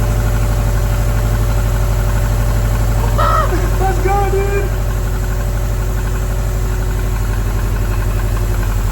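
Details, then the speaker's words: Subaru STI after a cheap engine rebuild, idling steadily with a faint thin squeak over it; owner thinks the accessory belt is loose and the alternator needs adjusting, and says the engine is not knocking. "The belt's a little squeaky, so I think I need to adjust the alternator, but other than that, we're golden. She sounds so good. So, the belt's a little loud, but I think that's all that noise is."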